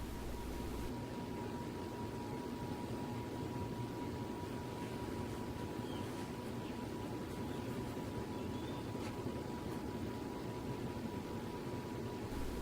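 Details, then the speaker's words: Pompeo YG618-WH 52-inch outdoor ceiling fan on high speed, blowing air down: a thin steady whine sits above the soft rush of air; the motor whine occurs only on high speed. "it's set to high speed now and you hear the whine come back this only happens on high-speed"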